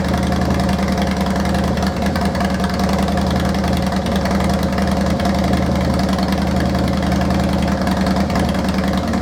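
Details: Harley-Davidson Deuce project bike just brought back to life, plugs and fuel in after brief oil-priming runs: deep, steady idle rumble with an even beat and no knocks, ticks or rattles; normal idle.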